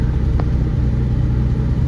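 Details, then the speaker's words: 1972 BMW 3.0 CS just after a cold start in neutral: smooth, even low rumble at a slightly raised idle while warming up with the temp gauge cold, no knocks or misses; normal cold fast idle, sounds good. "to idle a little high while it's warming up, I think, but see the temp gauge is cold. And there you have it. It sounds good."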